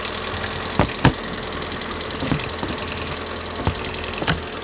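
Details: Lada engine 21124 at idle: uneven idle with sharp clacks over the engine hum from noisy hydraulic lifters.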